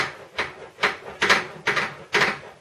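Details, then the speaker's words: Lathe tailstock quill stiff to crank in and out, live center removed: scratchy rasping chatter roughly twice a second as the quill slips and catches while cranked; cause unknown. "I'm not sure why it does that. See there. It's like it's chattering when it slips."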